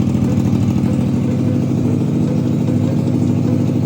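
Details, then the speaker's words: Abandoned Triumph Street Triple being revived, first start after draining coolant and oil, a new oil-filled filter and a custom fuel-pump clamp: lumpy, stumbling idle, and the owner suspects only two cylinders are firing. The injectors were then removed and cleaned. Engine misfire. "വണ്ടി ഇപ്പോ start ആയിട്ടുണ്ട്. Sound അത്ര സുഖമില്ല. കേട്ട് രണ്ട് cylinder മാത്രമേ work ചെയ്യുള്ളൂ എന്ന ഒരു ഡൗട്ട് ഉണ്ട്."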